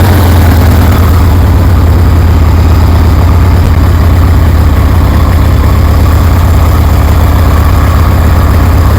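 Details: 1973 Harley-Davidson Sportster fitted with a rebuilt Keihin CV40 carburetor, idle just adjusted, low on fuel: steady, even low-pitched V-twin idle loping about three beats per second with no misses. It sounds good, a normal healthy idle.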